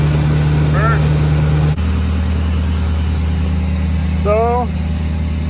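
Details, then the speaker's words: 2013 Ford Powerstroke diesel with the aux-switch high idle mod, started by command start with the switch already on: after a brief dip it settles into a steady, even drone at raised speed; a smooth high idle works as intended. "le switch turned on and now when we command start it it should go straight into high idle let's try it out"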